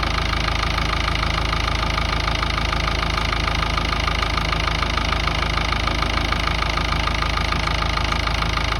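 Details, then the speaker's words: Ford Ranger 3.0 Power Stroke diesel at steady idle with fast regular knocking about three per second; intermittent engine knock appearing when steering hard or parking, then stopping, source not confirmed. "tenía ese golpeteo en el motor que no sabía de dónde venía y me lo hacía a veces, solamente cuando doblaba mucho la dirección o estacionaba, lo hacía regulando y después solamente lo dejaba de hacer."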